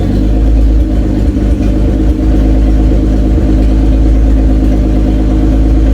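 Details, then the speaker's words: Toyota Cressida MX83, just started after engine reinstall and distributor re-timing, cold, exhaust not fully plumbed in: deep, even rumble holding steady with a slight open-exhaust rasp; oil pressure good, runs smooth. "Right now it sounds really good, so we're gonna fire it up, so see if it'll start."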